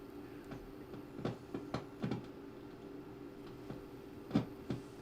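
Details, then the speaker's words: 1964 Roberts R-300 9-volt transistor radio on a bench supply: low steady hum broken by irregular pops and crackles when the pre-driver transistor is moved; intermittent crackling, suspected in the transistor or its wiring, not a solder joint. "So, if I move move the transistor around, it makes that noise. Sometimes."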